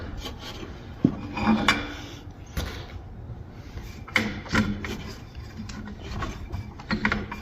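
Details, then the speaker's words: Polaris triple snowmobile engine that locked up after running a few minutes; slow uneven rasping, scraping and hard clunks as it's forced round by hand, tight and grinding; top end suspected gone, unconfirmed. "something's something's going very sounds like the top end is gone but"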